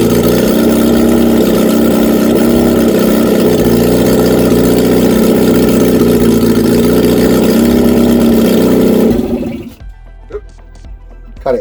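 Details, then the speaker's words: Reliant Regal Supervan 3 small four-cylinder on the workbench, first run after swapping two reversed leads, oil hot: catches and runs steadily, idling evenly with light rev blips for about nine seconds, then cut off deliberately. "hey first run oh yes I've cut it off because I didn't want it to run away that is awesome right now let's try that again"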